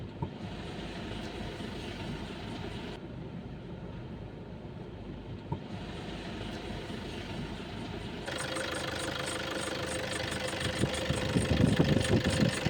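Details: Idling car engine with the battery warning lamp on and the battery not charging: a rough rattle and a faint ringing chirp that grows stronger partway through; a bad alternator pulley is the cause.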